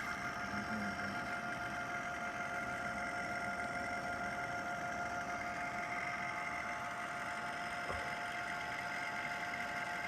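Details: Package air conditioner that has made abnormal noise for a long time: a steady whirring drone with unchanging whiny tones from the worn fan motor, which was replaced during cleaning.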